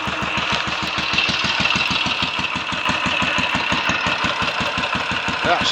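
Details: Royal Enfield 500 single, third start after rebuild, about 10–15 minutes total running, ignition timing set by strobe to a sweet spot, pushrods checked: crisp, even thump, about seven beats a second, no misses or knocks; normal idle.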